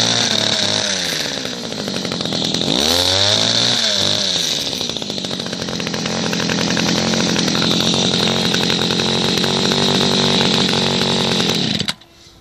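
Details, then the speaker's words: Second-hand two-stroke hedge cutter before carburettor mixture adjustment; buzzy note rises and falls with throttle blips, holds steady high revs, then cuts off; runs fine. "so as you can see it runs um on a two-stroke engine"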